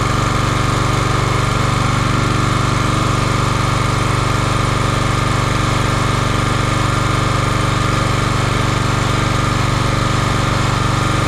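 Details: Champion 27-ton log splitter, 224cc single-cylinder engine, stored outside, while checking a hydraulic leak at a hose fitting. Engine runs steady and even at about four pulses a second with no misses or knocks. Normal running.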